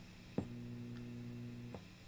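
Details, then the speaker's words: 1966 Fender Deluxe Reverb amp, guitar unplugged, no signal: steady low hum swells as reverb knob passes 3, then drops away near 10; reverb-stage hum, source unconfirmed. "as soon as you get past the 3, it kind of introduces this weird hum. And then it gets kind of quiet when you go all the way up to 10."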